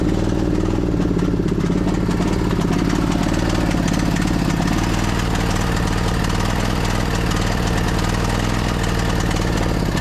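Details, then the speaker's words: 2008 Husqvarna YTH2242 lawn tractor, Briggs V-twin, started on full choke: lumpy, uneven beat with a missing pulse each cycle; one cylinder is dead, later traced to a bent push rod causing a valve problem. "All right, so I think we pretty much confirmed it. I got a dead hole right here."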